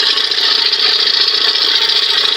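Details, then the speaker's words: Johnson 20 hp outboard running with the hood on; fast, hissy chattering rub like "chick chick" from the top, suspected loose spring chattering: spring chatter rubbing noise. "It's almost like I hear something weird sound, kind of chattery, rubbing, chick, chick, chick, chick, chick, chick, you know. It's not coming out of there. It sounds like it's coming up here. I think that noise is coming from the spring in there, just"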